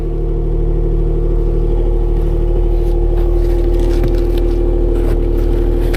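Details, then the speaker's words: 2016 Range Rover Sport with a crank/no-start and compression only on bank 1, timing chain suspected: lumpy, uneven beat of about four pulses a second with heavy low rumble as it briefly runs on one bank, then dies. "This shouldn't be running. Whew, it stinks. There it goes, it's going to die out. I have no idea what's going on right now. Ooh, this sounds bad."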